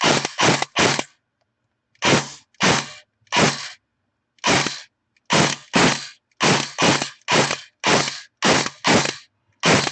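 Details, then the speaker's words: Airsoft AEG after bearing failure and stripped gear set repair, motor height screwed in too far during adjustment, semi-auto test: sharp rapid clacking shots with a strained whine; motor binding, backed off a quarter turn. "you hear that wine that means we need to back it off so we're going to back it off quarter turn"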